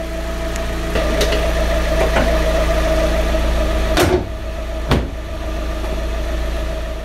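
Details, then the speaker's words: Fiat 500 petrol engine idling with the blower turned off, after timing belt and clutch replacement, during lower arm and ABS fault work: even smooth idle, steady low beat, no ticks or misfires; engine runs lovely. "as you can hear now i've turned off the the blower so you can hear the engine the runs lovely"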